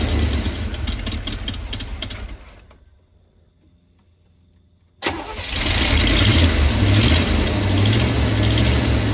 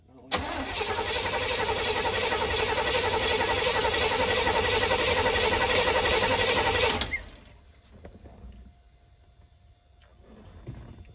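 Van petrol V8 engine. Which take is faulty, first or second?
second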